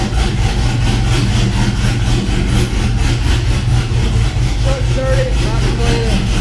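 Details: 6.0 V8 swapped Cateye truck with BTR Truck Norris cam, idling after failed lifter (cylinder one driver's side) replaced with Morel drop-in lifters: deep even idle with lumpy cam rhythm, no top-end tapping, normal idle.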